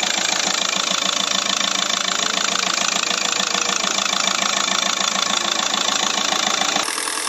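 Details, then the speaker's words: Hyundai Verna CRDI diesel after engine replacement, 1.4 converted to 1.6, first start: even diesel clatter at steady idle with regular pulses and no misses or knocking beyond normal rattle; engine sounds healthy. "দেখিছে গাড়ী বৰ্তমান starting কণ্ডিশনত আছে আৰু লগতে ইঞ্জিনৰ আৱাজ শুনক না দেখিছে ফাৰ্স্ট স্টাৰ্টিং কণ্ডিশনত ইঞ্জিনৰ আৱাজ এবাৰ ভালকে শুনক কি মজা লাগিছে"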